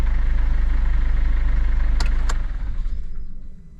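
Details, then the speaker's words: Mercedes Vito W639 2013, OM651 2.2 diesel, idle on second start after timing chain tensioner replacement: even idle, about three and a half pulses a second, no chain rattle, winds down smoothly; normal. "Okay, the second time seems okay. So now I don't have any rattle."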